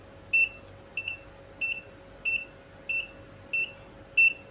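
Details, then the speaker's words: Godox SK400 studio flash showing error E3 at power-on, before repair: short high double-tone beeps repeat about 1.5 per second over a faint steady hum, and the flash refuses to operate. "Dan dia hanya bunyi-bunyi begitu aja ya, nggak mau beroperasi."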